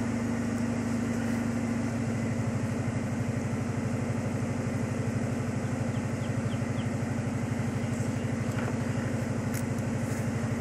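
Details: 1995 Ford Mustang GT V8 (OBD1) during cylinder balance test after one wide-open throttle tap, computer cutting fuel and spark per cylinder measuring RPM loss: steady idle, even regular pulses, no misfire stumble.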